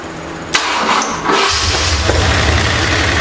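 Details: 1968 Ford LTD, abandoned, run again after the intake and water pump were refitted and coolant added: it fires and runs rough and loud with an uneven clattering valvetrain chatter. The finding is a dislodged pushrod; a loose, jumping timing chain was also suspected.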